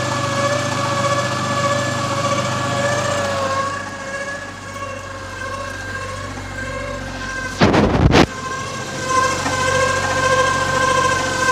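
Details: 2014 Dodge Challenger 3.6 V6 Pentastar, about 100,000 miles: steady high whine over the engine, no clear knock, began after hard acceleration from a stoplight with a sound like gears slipping, now drives poorly; source undetermined.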